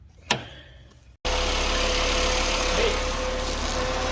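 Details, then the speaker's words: 2011 VW Jetta after replacing the belt tensioner to cure a squeaky belt: catches after a short crank and settles into a steady, even idle with no squeal or chirp. Repair successful. "No more squeal."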